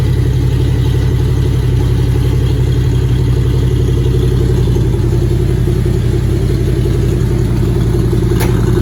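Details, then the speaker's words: Factory Five MK2 Cobra roadster with Ford 302 5.0 V8 after a cold start: deep lumpy idle with steady even beat, no knocks or ticks, settling to its normal idle. "all right here you go settling down a little bit this is about where it idle's"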